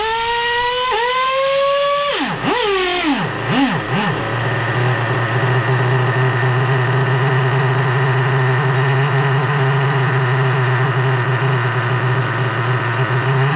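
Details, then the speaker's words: Rebuilt 3.3 engine with both bearings replaced, carburettor high-speed needle at about 4.5 turns: the note sags and dips as the throttle closes and only holds an even hum with the throttle held open. Won't idle, stalls without throttle; owner suspects carburettor setting or position. "But it's not uh it's not [ __ ] staying idling. Let's see. But I mean, unless I hold that [ __ ] accelerator open a little bit."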